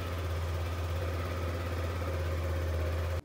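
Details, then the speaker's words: Yamaha NMAX scooter with warning indicator staying lit: even, steady idle hum with no dips but held too fast, rpm not dropping low; scan shows many fault codes including intake air temperature, TPS and idle control valve open; high idle speed. "Dan kalau dihidupkan itu idelnya cepat bisa kita dengarkan mesinnya ya ini terus dan suara mesin itu rpm-nya cepat ya Jadi kurang rendah"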